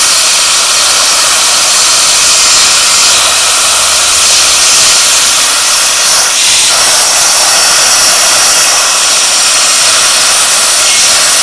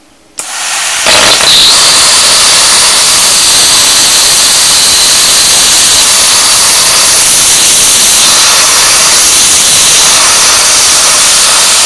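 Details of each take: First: A 40 amp plasma cutter at 15 amps and 40 psi gives a steady hiss of air and arc with no breaks; it cuts slowly and not completely through but keeps the shape; normal plasma cutting. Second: 40 A plasma cutter turned down to 15 A with air raised to 100 psi: steady loud hiss of arc and air that splutters with no clean cutting bite; extra air pressure appears to hinder the low-amp cut.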